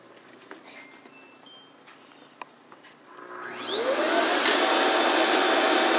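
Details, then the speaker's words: Shark Wandvac Self Empty WS642AE with debris-filled bin, button pressed: three or four short high beeps, then suction whooshes up and holds steady; normal self-empty, bin left completely clean. "So when I click this button, it will start self-emptying. You'll hear maybe 3 or 4 beeps and it'll start emptying."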